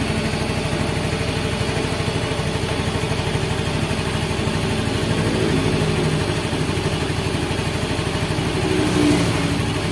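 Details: Yamaha Mio M3 (Blue Core) scooter after reset, idle set around 1500–1600 rpm: even, quick putter at steady idle with a light rev near the end, no knocks or misses; runs fine.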